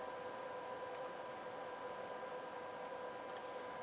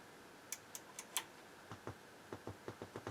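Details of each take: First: NAD 2140 power amplifier in bridge mode, 1 kHz test tone at 43.6 V RMS output with SLC on: steady thin ~1 kHz whine from the transformers over soft hiss, normal under load. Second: NAD 2140 stereo power amp on the bench, about 450–500 mV DC measured on one output and 180 mV on the other; sharp speaker-switch clicks carry a dull low thump through the speakers, indicating DC offset on the outputs.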